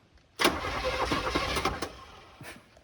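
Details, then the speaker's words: 1978 Chevy K20 4x4 Camper Special, left sitting outside for 13 years with a stuck starter: after beating the starter with a plumber's wrench it spins the engine freely for about two seconds, an even churn with no grinding. "unbelievable i've never seen that happen i mean there was no hope of no chance of anything moving in there i beat on the starter with a plumber wrench it's beautiful now"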